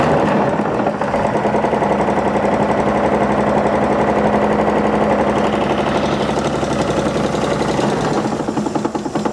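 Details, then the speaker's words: Old Chevy straight-six truck left abandoned for decades, first start: a loud, fairly even idle with a steady rapid beat; a rod knock was suspected, but the engine sounds healthy apart from one noise. "it ran hey it ran it did run yes I'll give it that and it didn't sound it didn't sound bad except for that noise"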